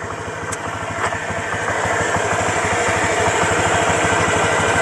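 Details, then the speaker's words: Honda Vario 125 at 5,125 km after five months of gentle riding (60–80 km/h): a steady, even putter at idle with regular low pulses and no knocks, ticks or rattles. The engine still sounds like new. "ini untuk suara mesinnya Saya rasa ini masih aman-aman aja ya"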